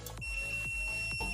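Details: LG MH7570 microwave making loud noise: multimeter gives a steady high beep wherever the probe touches the magnetron case, showing it is fully shorted to the casing.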